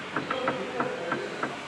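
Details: 2009–2010 Maruti Suzuki Swift with the lower arm rocked by hand: light knocks about three times a second from a worn lower arm end joint, the same on both sides; the steering rack bush is also suspected missing.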